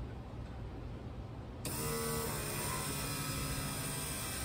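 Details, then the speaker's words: Turbo LS two-pump fuel system with the in-tank pump and the 044 pump switched on manually, engine off: steady electric whine at an even pitch that drags down as the 044 starts pushing fuel. No leaks seen. Normal fuel pump operation. "running where hear that 044 drag right down when it starts pushing fuel I think it's working"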